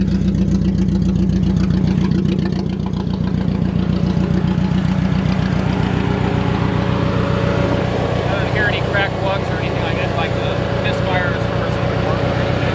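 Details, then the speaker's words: Budget Mercedes-Benz project car idling with no exhaust fitted: lumpy, uneven, loping beat, running on three cylinders; a visibly damaged coil pack was found as the cause, spark plug looked fresh. "all right so we're we're on three cylinders let's check it out"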